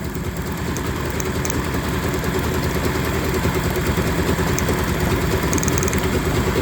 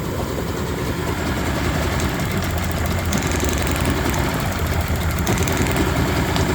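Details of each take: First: Yamaha 30 hp three-cylinder two-stroke outboard that started running rough, plug-lead drop test: steady, slightly lumpy idle that doesn't drop or pick up with one lead off, so that cylinder isn't firing; dead cylinder. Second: Cold, choked 3-cylinder Yamaha 30hp two-stroke outboard running rough, all compressions 110, plug-lead drop test: idling unevenly, revs sag when the plug lead comes off and recover once reconnected, so that cylinder fires fine.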